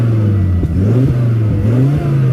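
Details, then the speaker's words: Volvo S60R with the engine light showing a mass airflow sensor code: engine revs unevenly with sharp pops and stumbles about every half second, runs rough and died earlier; owner suspects a bad MAF sensor. "Wonder if we have a bad mass airflow sensor. That's why it's running so bad. Because it's popping a lot."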